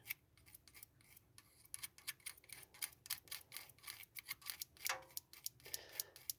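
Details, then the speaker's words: Basic vehicle ignition system test: the ignition module gave no pulsation or spark while cranking, so the coil ground was switched on and off by hand. Crisp, irregular snapping clicks, each a clean spark, show the ignition coil is good and the module is faulty and needs replacing. "so as you can see you can hear it spark and you can see it's sparking so it tells me that my ignition coil is actually good"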